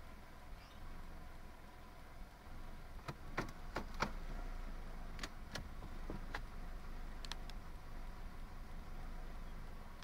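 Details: 1998 Toyota Camry idling roughly: low, quiet idle rumble with scattered, uneven ticks and stumbles; cause not evident.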